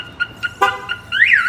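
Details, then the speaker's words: 2013 Chevrolet Silverado with newly installed Viper 5706V alarm, armed, door opened without disarming: short chirps, then rising and falling warble siren with horn blasts; alarm triggered, pager alerts, kill switch prevents cranking. "it's going to show you on here that your alarm is going off"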